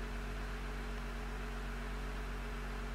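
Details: Jeep with a newly installed engine on its first start, 30 psi oil pressure, transfer case in neutral, coolant warming and transmission cold and possibly low on fluid: a smooth, even low hum with no knocks or misses; a clean idle.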